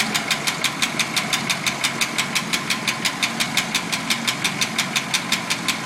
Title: Packard lifter ticking